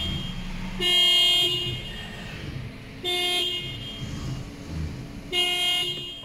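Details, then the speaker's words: Toyota car horn that sounds when the wheel is turned but often not when it is straight: three short blasts with quiet gaps between them over traffic noise; the faulty spiral cable inside the steering wheel is to be replaced. "Hai penemu mobil ini pemiliknya mengeluh Hai Horn bunyi pada saat belok saja tapi saat lurus Horn kadang tidak bunyi"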